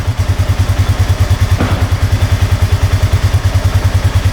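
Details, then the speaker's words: 2007 Honda Rubicon 500 ATV warming up after the oil change, checked for smoke: quick, even low idle thumping with no misses, knocks or ticking; sounds good, no smoke at all. "Let's let this thing warm up for a little bit. See if it smokes though. Sounds good."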